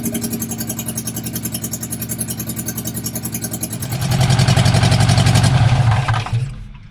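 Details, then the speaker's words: Barn-find bug-eye Sprite stored 30-40 years, first run after starter rebuild, only exhaust manifold, no exhaust: loud open rapid popping bark picking up sharply on throttle, then dying away. "and it's idling on its own now actually it sounds not too bad it does not have any exhaust on it right now it just has just the exhaust manifold"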